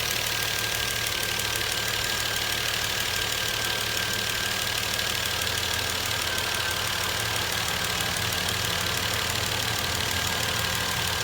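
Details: 2012 Volvo S60 T6 3.0L, 87,000 km, cold start: fast light clicking about three per second, like knocking on hard plastic, from the top or back of the engine. Also occurs while cooling after shutoff and stops when warm; dealer couldn't pinpoint it.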